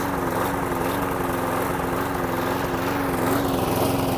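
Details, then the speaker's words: Hayter Hunter lawn mower engine, bought as spares or repairs, running at a steady even pace with no trouble. "Old school engine. No trouble there."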